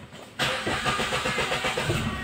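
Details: Kia Picanto, manual transmission, hard start that owner says is new: long cranking with even rapid starter beat and no clean catch; scanner shows code 335 crankshaft position sensor circuit.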